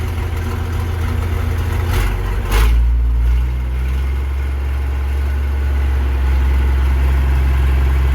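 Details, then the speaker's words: Versatile 800 tractor diesel at idle with the old, likely factory, roughly 50-year-old muffler removed: loud, deep open bark swelling briefly with a throttle blip, no muffler fitted before the new one goes on. "What a beautiful sound, isn't it? Shame we have to put that horsepower restrictor back on the front, but let's do that."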